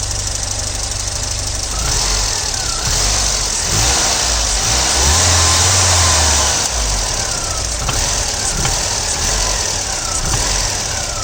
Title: Volvo 940 engine knock on sharp acceleration from idle